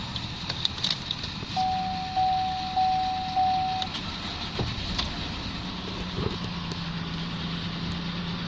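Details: 10/2015 Holden VF Commodore Series 2 Evoke ute, LFX 3.6 V6 with automatic, 161,724 km, started briefly for dismantling: brief chime, then starts and drops to a quiet steady low idle without ticks or misses; healthy engine.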